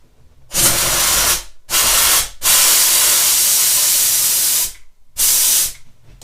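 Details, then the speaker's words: Karcher SC4 steam cleaner repaired for too much steam, test run: sharp bursts of steam hiss, clean starts and stops, no sputter or spitting; operating normally. "И вот он сейчас работает. Аппаратик. Все срабатывает."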